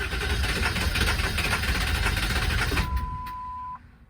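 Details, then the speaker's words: 1999 Ford F250 7.3L Powerstroke diesel, presumed to have run out of fuel, switched to 12 volts, key cycled until the wait-to-start light goes out. The starter churns about three beats a second without catching, then a chime sounds: cranks, no start. "oh, that's not the result I was hoping for. All right, I'm not going to overwork this starter."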